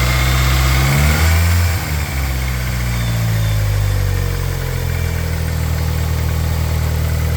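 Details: 420A engine at idle: deep, steady idle with a quick repetitive knock beneath it, about four per second. Possibly piston slap or valvetrain knock; the cause is suspected, not confirmed.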